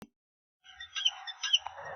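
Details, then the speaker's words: 2011 BMW X5, 195,000 km, front suspension pushed down: high chirpy rubber squeaks in quick bursts, changing over rough roads, much louder on left front; aged rubber in strut top mount. "找我们试车去。试车的时候，我们明显能听到客户反映的现象，就是叽叽的叫声。然后再过不平的路面，这种叫声还会发生变化，到底什么原因呢？"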